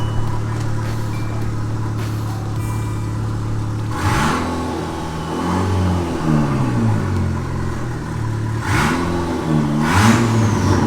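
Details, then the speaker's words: Ford KA DIY turbo build on 1600 ECU: engine blips up from steady idle and falls back cleanly several times, no stumble or misfire; earlier over-fuelling and overboost issue now sorted, fuelling much better. "to me that sounds like he's running"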